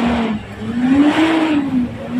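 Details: Mitsubishi Pajero/Strada Triton diesel revved after repair of diesel leaking into the engine oil: blips rise and fall smoothly with no knock or miss; engine healthy, though a separate sudden-throttle issue remains.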